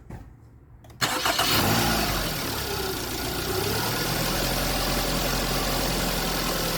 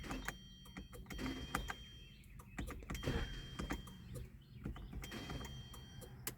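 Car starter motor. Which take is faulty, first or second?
second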